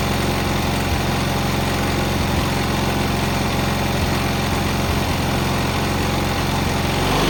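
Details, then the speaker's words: Cub Cadet 682 with Kohler KT17 twin, first start, solenoid jumped, battery charger connected: smooth, even idle with no misses, knocks or rattles; a good-running KT17. "This machine here is actually, I believe, that's a good running KT17."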